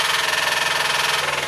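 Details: 2006 Mazda 3 2.3 L, microphone on top of engine: steady rapid knock tied to engine speed, unchanged with injectors four, three and two cut, gone at 3,000 rpm with cylinder one injector off; rod knock suspected on cylinder one.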